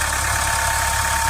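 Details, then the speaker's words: Mahindra Scorpio diesel with an XUV500 solenoid switch fitted to cure a noise that persisted after switch-off; a steady, even idle with a smooth low rumble and no knocks, ticks or whine, noise gone. "गाड़ी नहीं कोई भी आवाज नहीं है"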